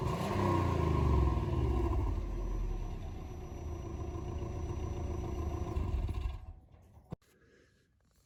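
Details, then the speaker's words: Free Subaru B4, stock exhaust before muffler swap: engine blips, holds revs a few seconds, then settles; quiet, even exhaust note with no rattles. "we'll just go ahead and do us a quick uh rev of the stock exhaust quiet but hey why not before and after comparison so let's get to it"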